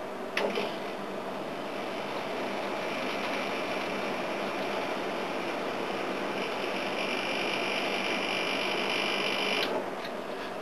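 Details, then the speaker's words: Air-conditioning unit compressor retried after the unit had been upside down and earlier sounded full of oil: smooth steady hum starting cleanly and holding about nine seconds before stopping; normal compressor run. "sounded heaps better that tonight all right let them both sit for another 15 minutes and give it a while"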